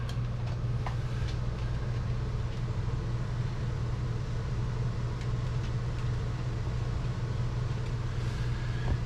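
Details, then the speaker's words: Dometic Brisk 2 rooftop RV air conditioner just after installing an RV Airflow Systems duct upgrade: even steady low hum and blower rush with no knocks or rattles, noticeably quieter than before with strong airflow. Running normally. "It is quieter, I will say. Not like, you know, super quiet, but it definitely is quieter."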